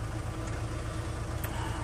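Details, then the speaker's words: Saviem SG-2 diesel after engine swap and replaced injection pump: steady starter churning, low thumps about five a second, never catches; owner suspects injection pump timing; only coughs on start-pilot. "J'ai pas trop l'impression qu'il entend partir en fait."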